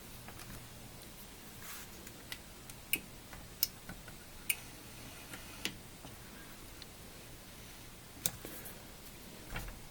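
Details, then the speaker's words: Osborne 1 computer floppy disk drive after servicing: quiet room with sharp, sparse clicks about every second as the head seeks home; track 0 switch clicking normally, nothing seized. "oh I can hear the yeah track 0 switch happy to clicking so that's good"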